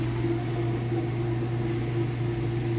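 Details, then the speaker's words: Kenmore Elite king-size top-load washer during spin, getting up to full speed: steady even low hum with no knocking, scraping or wobble; spinning fast and smooth, healthy. "We'll open the lid, show you it's spinning nice and fast. It's nice and smooth."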